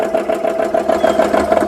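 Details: GX CS3 high-pressure compressor after repair with four new O-rings, finishing an air gun fill at about 3,200 PSI: fast, even pump chugging about eight strokes a second, then cutting off cleanly at the set pressure; working normally.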